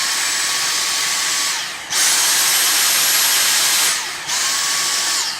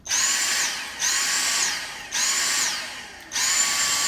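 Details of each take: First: So most of the time, you have it without the boost. It's only if something's particularly difficult or dirty, you have it with boost. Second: Vacuum cleaner, clog warning deliberately faked: motor whine surges up and sags about once a second, signalling the bin needs emptying and the filter needs cleaning.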